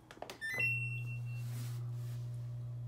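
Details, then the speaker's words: Samsung washer after replacing drain pump whose blade had broken off (ND error), on quick wash: after button beeps a steady low hum holds evenly as the pump empties water; normal drain pump running. "I'm going to start on a basic quick wash and you shall hear the pump working soon as I turn this on it will kick it will start the noise going"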